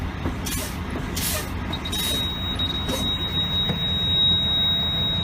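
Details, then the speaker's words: AZ truck pre-trip inspection, engine running with air pressure over 90 psi: air hisses in bursts as the brake pedal is pumped, then a steady high buzzer comes on and stays on; low air pressure warning device working. "So the pressure's over 90 psi, so you start pumping the brake pedal until the low air warning device comes on and stays on."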